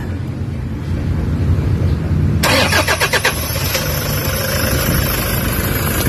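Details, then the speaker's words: Toyota HiAce diesel in neutral with check engine light, codes P0400/P0406 EGR malfunction and low power: cranks, catches, then settles into a lumpy, heavily vibrating idle with uneven beat. "Makikita mo ayan oh may check engine umaandar yung makina ang lakas ng vibrate so kumakalog kalog grabe lakas"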